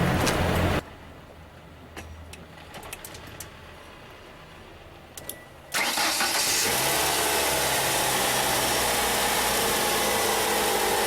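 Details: 1994 Ford Escort 1.9 after replacing a bad starter and tightening wiring and battery connections: quiet pause, brief crank, then the engine catches cleanly and settles into a steady, even idle; starting normally.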